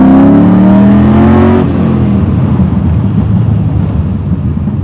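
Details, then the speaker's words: LS V8-swapped BMW E30 on its first drive after dyno and alignment, with sway bars and aftermarket shocks, cruising in second gear at about 30 mph, ~2500 rpm. Strong steady V8 drone rising as it pulls, settling to an even low burble; normal healthy cruise. "Definitely squats good, so that'll help it hook up, but doesn't feel unmanageable at all. Cruising in second gear at probably 30 miles an hour at 25 RPM, so the ring gear or rear ratio on this seems pretty good too."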